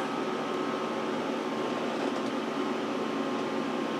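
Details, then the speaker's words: Power Mac G5 Quad on first boot after unboxing: loud steady rushing fan noise with no pitch change; fans stuck at full speed during a hung startup, owner suspects a kernel panic. "no CD ROM just spun down so and now the fans are kicking up this thing's definitely thinking pretty hard here Wow"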